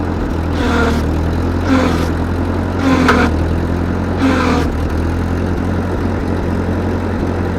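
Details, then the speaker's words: 1943 Ford 9N tractor backhoe, block with several cracks: a lumpy low idle with an uneven chuff about once a second. It runs but misses and labours, needing work. "she runs not going to say she runs well she needs some help"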